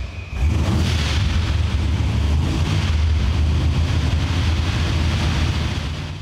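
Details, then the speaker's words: Blow-through carbureted V8 with no choke, started stone cold overnight: deep heavy rumble swelling and sagging unevenly as throttle is blipped to keep it running. "So it's up to operating temperature, and it still doesn't want to idle real nice on its own."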